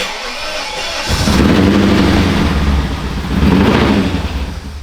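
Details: BMW E39 540i V8 abandoned car, swapped to manual, first start: catches after a second with heavy smoke and runs unevenly, rumble surging and sagging.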